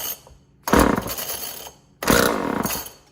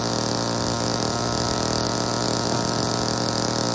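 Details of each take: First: Old Homelite chainsaw being revived: two short bursts of rough firing on the pull, each dying after about a second, so it catches but won't keep running; cause suspected, not confirmed. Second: Old Homelite chainsaw, owner guesses 1960s or 1970s, just revived and started with choke off; steady high two-stroke buzz holds even without dropping out; runs normally, though the owner says it could be tuned better.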